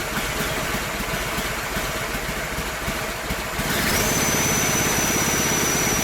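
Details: Small single-cylinder engine on a Mikuni carburetor (jetting from a 250 two-stroke) and a temporary 3D-printed PETG intake manifold: settles into a steady, even beat of about three pulses a second, then picks up cleanly; runs well, with a slight low-end velocity issue from the large carb.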